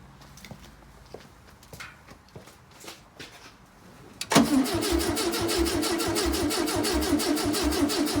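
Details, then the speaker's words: 1968 VW Beetle garage find with new condenser and reseated distributor: starter spins engine at an even three beats a second but it never fires; crank no start, cause unconfirmed. "and still nothing unfortunate really"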